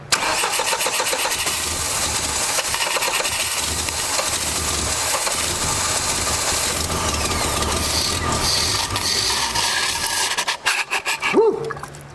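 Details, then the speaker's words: 1989 Dodge Daytona ES, throttle-body injection: starter churns evenly about ten seconds, engine tries but never catches; leaking throttle-body injector floods it, fuel pressure regulator possibly stuck open; parts to come from a spare throttle body. "so i got another throttle body back there i'm gonna have to go dig out it wants to run seems like me is just flooding it"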